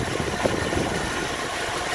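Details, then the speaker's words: 1974 Ford Bronco freshly rebuilt V8 (high-deck 74 block, overbored, flat-top pistons, flat-tappet cam), warm at 180°F thermostat, idling about 750–800 rpm; smooth even idle, no knocks or misses. "It's got a 180 thermostat, so it never leaves 180. But we'll stand to the side because we don't like fans. Very smooth. Idle's about 750, 800."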